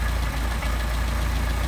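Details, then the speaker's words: Mercedes 190SL Solex carburetors: steady low idle that sags and slows as the idle mixture screw goes in lean; backing it out raises idle to about 800 RPM. "Small incremental movements very slowly. You hear the idle start to drop"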